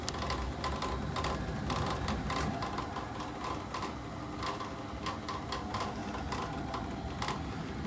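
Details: Navien gas boiler running: low steady hum with uneven clacking knocks, one or two a second, and the flue outlet pipe shaking; owner suspects an inlet valve near the outlet, unconfirmed.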